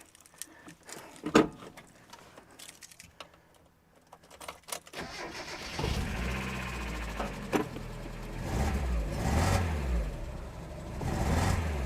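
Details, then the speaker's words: NA Mazda Miata that stranded owner with a misfire and gas smell from exhaust, first start on diagnosis day: cranks and catches into uneven, lumpy idle with irregular pulses; still running badly, misfire cause not yet found. "okay it's still running badly are you just going to fight me every step of the way today"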